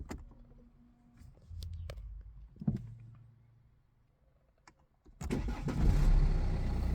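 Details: BMW F30 first start after ECU reprogramming to stage 1, following replacement of both front wheel bearings: key jingle and clicks, short crank that catches at once and settles into a steady, even idle; normal healthy engine start.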